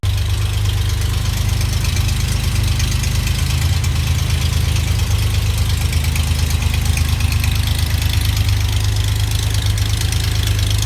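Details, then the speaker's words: Rebuilt GMC 305 V6 on a run stand, with high-zinc break-in oil and a cam already broken in: a deep, even idle with a steady low beat and no misses or knocks. It runs great. "man this thing runs great"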